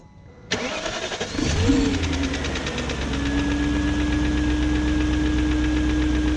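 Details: 2001 BMW E38 740i Sport cranks, catches and settles to idle with fast even light ticking, about four per second, after new timing chain, guides, tensioner and VANOS gaskets; no codes; owner suspects VANOS unit, unconfirmed.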